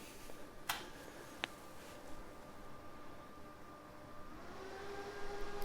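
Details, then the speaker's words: EcoFlow Delta Pro portable power station feeding a house through a 30 A generator cord, switching to the phase with the sump pump and furnace, load rising to about 1150 W: low hum, then the cooling fans spool up in pitch and hold. Normal. "And you can hear the fans will spool up on the EcoPro just to increase the cooling."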